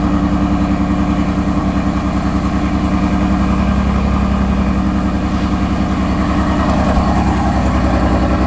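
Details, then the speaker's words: 2020 Corvette C8 on cold start, no check-engine light: idle pulses about three times a second but unevenly, with a shaky, lumpy beat; rough cold-start idle, cause not determined. "i don't know bad the idol is really bad it's on cold start and it's shaky shaking right now guys"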